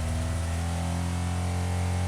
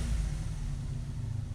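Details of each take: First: 1985 Honda VF700F V4, first start in at least five years after carburetor rebuild and new pulse generators: fires up into a fast, steady idle with rhythmic surges, held high because throttle plates were left open after sync. High idle. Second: 1985 Honda VF700F V4 motorcycle, first start after carb rebuild and new pulse generators, engine hot, idle screw being adjusted: short even rumble returns quickly to a steady idle without hunting; mixture not thought lean, normal idle.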